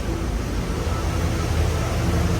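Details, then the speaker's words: 2001-2002 Camaro SS SLP V8, about 100,000 miles, with new 1 3/4 headers, 3-inch off-road Y-pipe and stock cat-back: idling around 700 rpm with a deep, steady rumble, louder than the very quiet stock setup. No stumble or misfire. "I'll just keep working it, but yeah, it sounds way better than stock. When it was stock, it was super quiet."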